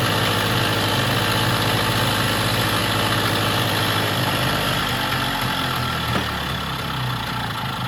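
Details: Vintage Jacobsen greens mower small single-cylinder engine on a temporary fuel tank with added fuel shut-off and filter, started without choke, puttering at a steady fast idle with an even beat, no misses or stumbles; running normally.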